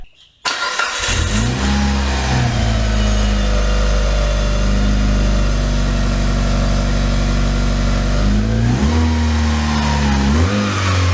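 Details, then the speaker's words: Engine started, idled and revved with the accessory belt removed: a steady whirring whine still climbs with rpm. Owner suspects the timing belt; source unconfirmed. "The whine absolutely drives me crazy. It's the one thing left that I hate about this car, now that the paint's fixed."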